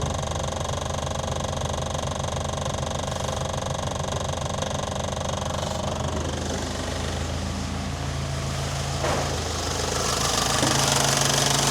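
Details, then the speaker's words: Morris Minor, cold start on choke after correcting plugs to BP5ES and coil polarity: fast steady ticking about three per second over the idle from a noisy fuel pump, quieter once warm; loud fuel pump at cold idle. "Oh, that fuel pump's loud. So, choke, start it."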